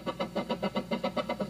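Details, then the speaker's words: Scratchy crackle from an electric guitar control, about nine bursts a second: the knurled outer thumb wheel rubs internal wires as it turns (triboelectric effect), mimicking a dirty pot; moving the wires away from the wheel makes it silent. "And when we were turning the thumb wheel on the outside, the thumb wheel was rubbing against these wires. It has a knurled edge and it was producing the sound"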